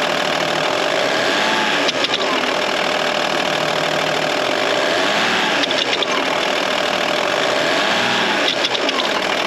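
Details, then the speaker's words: Cheap broken Audi A6 with horrendous noise from left side of engine: hard, sharp metal-on-metal clicking over the revs from about 2000 rpm, seemingly from low in the bay; owner suspects camshafts, rocker fingers, pulley/idler or engine mount. "it's like a big clicking noise when you get to about 2000 rpm"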